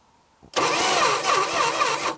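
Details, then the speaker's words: 1966 Plymouth Barracuda Formula S engine, sat for decades; about 1.5 s of steady cranking, no firing; distributor not turning with the engine, suspected lost timing chain or distributor gear. "our distributor is not spinning what it's getting sparked but I am spinning the distributor by hand um that's not good"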